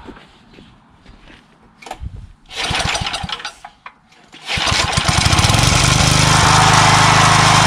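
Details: Craftsman 3HP Tecumseh lawn edger after water-contaminated oil change, new carburetor (no leak, primes well), gas line and air filter; a few recoil pulls after priming, then catches and holds a steady, even buzzing run like a champ, healthy.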